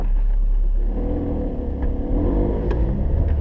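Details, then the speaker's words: Manual-transmission car pulling away in first gear, clutch let out slowly with a little gas: engine note rises smoothly with no bogging, stalling or shudder; a clean, correct clutch takeoff. "okay so what you want to hear is this this is a good takeoff right"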